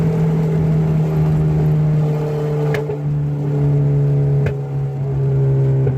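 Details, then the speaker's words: Old wagon driven with the exhaust missing and a leaking header: a loud, raw, unmuffled drone with a steady low note and raspiness, with backfires; it sounds bad but runs and pulls the same as before. "I mean I sounds like [ __ ] but it's always sound like [ __ ] and it's even worse that the exhaust is a missing but it's actually running the same"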